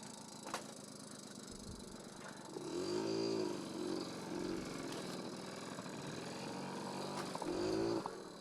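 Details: Barn-find 1981 Honda Express NC50 two-stroke moped, fitted with a Dellorto SHA 1515 carburetor on an MLM intake adapter; it rises cleanly in pitch on each throttle blip and settles back evenly. Normal running.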